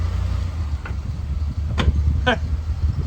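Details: 2007 Chevy Uplander, 248,838 miles, front-end clunk: sharp thuds over road rumble when braking, worse going forward, as the control arm shifts; worn, loose lower control arm bushing, replaced and torqued at ride height.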